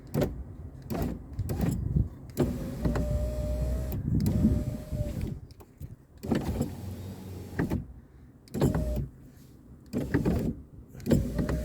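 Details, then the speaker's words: 2016 Ford F-150 3.5 driver's window that stops halfway, door panel removed: motor whirs in short runs with faint squeaky rub; glass pushes out and rubs against the regulator. "Some issue here, it's like pushes out against the regulator, but it's not dragging or anything, so okay, it's rubbing against that again. That's causing problems, so over that piece here."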